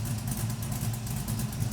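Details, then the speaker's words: LS-swapped Camaro V8 cold idle on first start after a new oil pump, oil pickup tube fix, new fuel tank and finished exhaust: smooth even low rumble, steady beat, no knocks or ticks, exhaust quieter; oil pressure still somewhat low. "Doesn't sound that bad. I'll let it get some heat in it, and then we'll give it a few revs."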